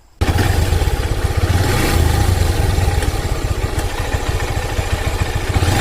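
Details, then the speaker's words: Honda Hornet 160R idling with a fast light ticking clatter over the exhaust beat, the noise returning after an earlier fix and louder while riding; timing chain tensioner noise. "എന്നാലും പക്ഷെ നമുക്ക് റണ്ണിങ്ങിൽ ഒരു sound ഉണ്ടാവില്ല ടക്ട അങ്ങനത്തെ ഒരു sound ആണ് വന്നുകൊണ്ടിരിക്കുന്നത്."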